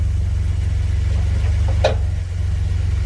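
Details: 2016 Ford Expedition at idle, shifting between drive and reverse: one sharp metallic pop like a hammer on metal as the gear engages; something loose underneath knocking on the shift, location identified but cause not confirmed.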